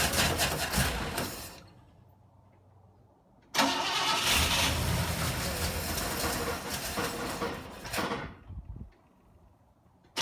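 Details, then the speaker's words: 1960 Pontiac Ventura barn find, rebuilt Tri-Power carburetors at high altitude, cold start: catches, runs rough briefly, dies, restarts and stalls again; owner suspects too much fuel flooding it as the choke closes, and may need to jet down. "just acts like it's getting too much fuel I think it starts when that joke starts to close and it starts to sucking a lot of fuel and then it floods out"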